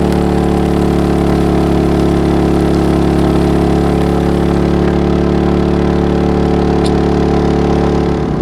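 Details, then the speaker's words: MaXpeedingRods petrol generator powering about 2,200 watts of cooking appliances while camping: steady drone that gets louder under load and pulses up and down as appliances cut in and out, which the owner was told is normal; healthy generator under load. "I don't know if you can hear me though. It has got a bit louder now, it's under load."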